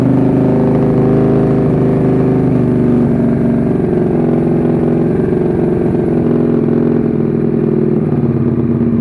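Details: Suzuki SV650 supertwin self-build project, start-up after rebuild: steady, even V-twin burble with loose off-beat lope at idle, no knocks or ticks; normal idle.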